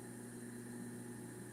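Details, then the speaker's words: Juicer brought in by customer as not working runs on first test with a steady, even motor hum at constant pitch, no knocks or grinding; before disassembly, something suspected loose or jammed. "And should be a magic switch. And that is running right now."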